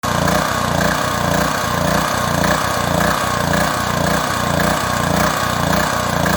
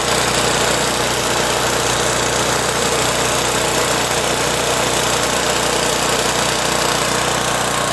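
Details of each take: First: Proforce Powermate 2500 watt generator small engine surging, speed rising and falling about twice a second; carburetor removed for cleaning, clogged pilot jet blamed. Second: Pro Force Powermate 2500 W generator small engine after cleaning the carburetor's clogged pilot jet to fix surging: runs at a steady, even speed with no rise and fall in pitch; steady running, surging cured.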